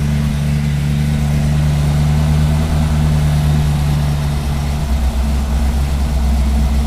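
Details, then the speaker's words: 1959 Ford F100 with a 302 (5.0L) V8, 650cfm carburetor and C4 transmission, running while the idle mixture is adjusted and headers burn off grease and paint: a steady, even idle with a smooth low rumble and no intake whistle or hiss; sounds healthy. "man that sounds too good yeah yeah that sounds nice so we're idling in"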